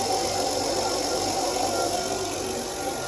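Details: 2006 Kia Optima 2.7L V6 just after water pump and timing belt replacement and a coolant refill: a steady, smooth hum at an even idle with no knocks or misses, a normal idle.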